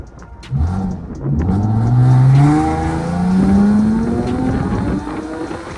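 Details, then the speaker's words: Infiniti G37 sedan (VQ engine) with test pipes fitted to fix a loud exhaust leak, pulling hard with windows down: loud, deep exhaust rising smoothly with no puffing or ticking. The exhaust is sealed and runs clean. "As far as pulls, this sounds way it's got a lot of torque."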